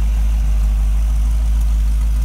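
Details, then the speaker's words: Model A hotrod chassis with a rebuilt 1965 283 small-block Chevy, broken in with no street miles, good oil pressure and charging, on temporary very quiet mufflers: deep, even idle rumble with a steady beat, no knocks or ticks; healthy idle. "The engine's been broken in, no street miles, good oil pressure on idle, charging. The exhaust has been fabricated. Mufflers, they're very quiet mufflers, temporary hung, so the break-in period, you can hear the motor."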